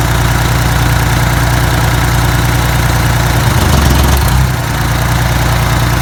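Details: Detroit 6V92TA two-stroke diesel, test run after installing Jake brakes: deep even drone with clean rev and return, no knocks or misses; oil took a minute to reach the jakes; successful test, healthy.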